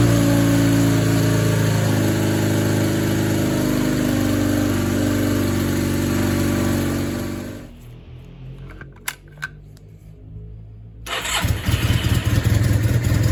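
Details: 1987 Honda CB450S after engine swap, no-start fixed by starter motor, warmed up with recharged battery: steady, even throb at idle, cuts out briefly, fires up promptly and settles smoothly; healthy start.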